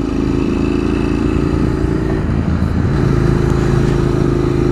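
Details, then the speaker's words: Twin-cylinder motorcycle running with about 3 litres of diesel added to the gasoline, under load and uphill: uneven, lumpy note that stumbles, with no response to throttle then occasional jerks; misfiring on diesel-contaminated fuel. "oh and the engine is a bit unsteady because sometimes it fires up well for example I roll on throttle nothing happens it sounds horrible"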